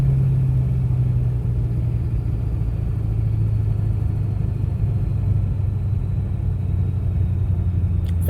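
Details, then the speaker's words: Ford 7.3 Powerstroke diesel with KC300X turbo, power loss, slow spool, poor fuel mileage: deep steady rumble with a dull puffing edge; exhaust leaking at the turbo up pipes; exhaust leak at turbo up pipes. "kind of sounds like an exhaust leak"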